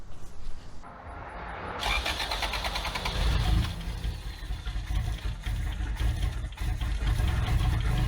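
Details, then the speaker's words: Abandoned Toyota AE86 after the carburetor settings were reset and the PCV tube and brake booster hose were capped: the starter churns at a quick even beat for several seconds but it never catches. Crank/cam timing, valve clearances later looked fine. "okay still not happy still not on fire"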